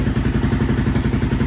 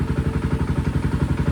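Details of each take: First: Honda TRX700 with Vortex ECU after map adjustments and water found in the airbox: low, lumpy pulsing beat with uneven thumps as it revs; better but still rough, owner suspects flooding, rich on the bottom end; cam unverified. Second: Honda TRX 700 single-cylinder on Vortex ECU map 1, possibly stage 3 cam: steady, even firing at idle, about four pulses per second, no misses or stumbles; running better, though owner unsure whether it is now running lean.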